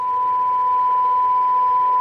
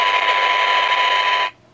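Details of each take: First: 1978 Craig 4103 23-channel AM CB radio, function-generator AM test signal at 10 dB SINAD reference sensitivity: clear, steady high tone of constant pitch over light hiss, received cleanly. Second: 1978 Craig 4103 23-channel AM CB radio: harsh hiss and distortion through the speaker that cuts off sharply, traced to weak detector diodes in the second IF stage; replacing them with germanium 1N60s gained a couple of dB.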